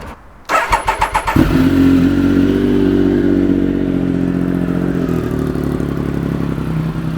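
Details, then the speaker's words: Triumph Daytona 955i with aftermarket slip-on exhaust cranks, fires and idles with a faint puffing tick at the joint; clamp tightening didn't seal it, later fixed with exhaust sealer; exhaust leak. "I tried to really tighten it down with the clamps but there was still an exhaust leak"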